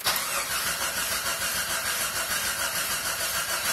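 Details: Jeep Grand Cherokee with P0320/P1391 crank sensor codes: steady starter cranking at an even pace for several seconds, never catches or fires. Fuel present, battery weak but cranking; owner suspects crank position sensor, replacing it next. Crank no-start.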